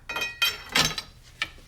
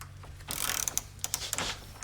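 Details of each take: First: Ratchet under a torque stress test: uneven dry clicks and sharp snaps as the ratchet slips instead of holding; pawl on that side suspected broken. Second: Pittsburgh Pro 3/8 in. drive composite quick-release ratchet (or new Craftsman) in a torque test, after holding 100 ft-lb: crisp even pawl ticks on the backswing with no skipping or grinding; ratchet mechanism healthy.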